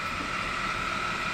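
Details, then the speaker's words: Jeep JK engine idling during thermostat replacement and coolant flush for overheating; steady high whine over the idle, water pump pulley checked and owner almost sure it is the idler pulley; idler pulley whine. "Now that I've checked my pulley on my water pump, I'm almost positive that's my idler pulley. And those are known to go bad on these, so that'll be another video."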